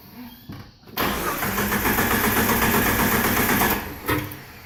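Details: TJ 4.0 no-start: steady starter churning at about four beats a second; the engine never catches and runs, so it cranks but doesn't start.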